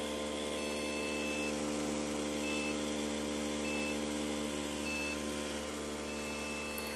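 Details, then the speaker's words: Desktop PC won't boot: repeating high-pitched POST beeps, one long then three short about a second apart; RAM suspected, not confirmed. "बप sound बहुत ही slow ए रही है तो इस condition में हम लोग को ज्यादा डर तक चालू नहीं करना है"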